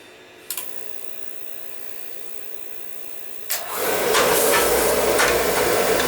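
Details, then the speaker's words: Viessmann oil-fired boiler, probably with a Beckett burner, after new nozzle and pump pressure reset: click and whoosh on ignition, then smooth even roar with no spitting; burner firing cleanly with good oil flow. "new nozzle reset pump pressure and good oil flow you can hear it's not spitting"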